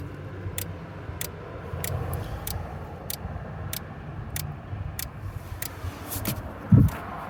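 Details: 9th-generation Honda Accord: sharp even clicks about every two-thirds of a second, roughly 90 a minute, over a quiet background; began suddenly as keyless entry stopped working, resembling the lock/unlock sound; source unknown.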